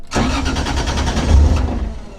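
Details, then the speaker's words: Toyota 2JZ engine reinstalled, started in neutral, with a power steering leak to clean up: short crank, catches at once and settles into a steady, even idle with no misses or knocks; normal healthy start and idle. "it sounds so good I'm gonna give you guys a little rip"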